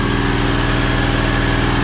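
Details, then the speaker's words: Predator 670cc V-twin in an E-Z-GO TXT golf cart, first start, throttle held during 10-minute break-in warm-up: steady fast idle with firm even pulse, no misfires or rattles; runs good. "sounds good though getting it up to Temp and breaking it in happy it runs everything runs good"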